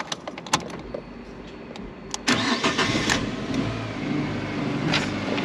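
A few clicks, then the engine catches quickly and settles into a steady, even idle with no misses or knocks.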